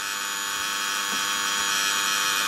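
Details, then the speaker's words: Osaki TY 11 time switch motor running on the bench: steady harsh electrical buzz with high hiss; as loud as a similar time switch heard buzzing in a shop's power board. "you can go to the power ball where it is in the middle of the shop and it's a time switch making this sort of noise"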